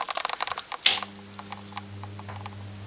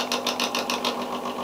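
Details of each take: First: Original bathroom exhaust fan after cleaning and re-greasing its dry bearings, blades off: a few handling clicks and switch snap, then a smooth, steady hum with no rattle. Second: Original bathroom exhaust fan from when the house was built: small motor hums with a dry, papery rattle pulsing about six times a second from unlubricated bearings, friction slowing the motor; cleaned and greased.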